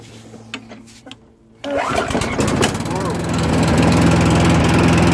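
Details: Old single-cylinder petrol lawn mower with old fuel in the tank, being rescued: a few quiet clicks, then it catches and settles into a steady, even run; normal cold start.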